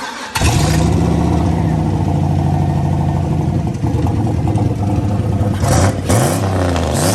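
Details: Truck engine catching at once and revving hard cleanly with no stumble, after a bigger fuel pump was wired in and a loose fuel pump battery cable fixed; fuel pressure issue resolved, runs healthy.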